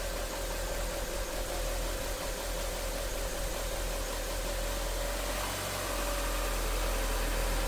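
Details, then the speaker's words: Audi A4 just restarted after a DIY timing belt and coolant flange job: smooth, even idle with no knocking, ticking or rattling, and the idle dropping; a normal idle, though some smoke, probably coolant, then appears. "Okay, it's running. It is running. Our belt is on there. It sounds good."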